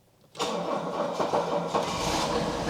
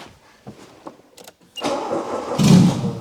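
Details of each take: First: Diesel car with preheat, vacuum-operated shutdown, sitting unused with some rust: after a couple of seconds' preheat the starter catches at once and it settles into a smooth, even idle with no misses or knocks; healthy diesel start. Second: Weak clicks with no start, then the engine catches and runs up once fuel is given down the throat, pointing to a fuel supply fault rather than spark.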